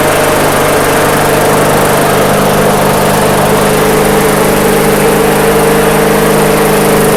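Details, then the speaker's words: MTD/Yard Machines walk-behind mower after a slight governor arm tweak: small single-cylinder engine holding a steady, even speed with no hunting or surging; running properly now. "All right, cool. So that was it. The governor arm just needed a slight little tweak."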